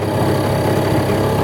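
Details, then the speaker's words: Mercury 2.2hp outboard on a canoe, lowest throttle, about 5.5–6 km/h, on a makeshift mount: even, buzzy putter holding steady with no misses, knocks or surging, canoe slightly twitchy. Normal idle at low throttle. "As you can see, that's on the lowest throttle point there. It's a little bit twitchy."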